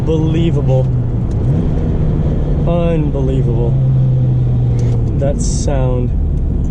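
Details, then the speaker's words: 2004 Saturn Ion Redline, 2.0 L supercharged inline-4, about 230 hp, accelerating hard from 2nd gear: rising, singing whine over the exhaust as revs climb toward about 6,000; normal supercharger noise. "supercharger whine is immense. Absolutely immense. It just sings. It's so raw."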